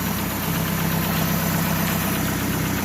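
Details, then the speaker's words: 2015 Chevrolet Aveo idling after tightening a loose timing belt tensor bolt that had let the belt go slack; not the lifters or bearings a shop had blamed. Smooth, constant low drone with no knocking or belt slap: normal idle. "como pueden escuchar amigos pues ya no tenemos ese ruido tan extraño que tenía la máquina"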